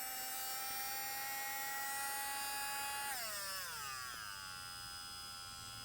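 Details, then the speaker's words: Ryobi 4V USB lithium cordless rotary tool (FVM51K), new, running free with the polishing adapter fitted. A high, steady motor whine runs evenly, then slides smoothly down in pitch as it coasts to a stop. Decent airflow from the side vents; healthy, nothing out of the ordinary. "I mean, nothing real out of the ordinary, definitely decent airflow through these vents in the side."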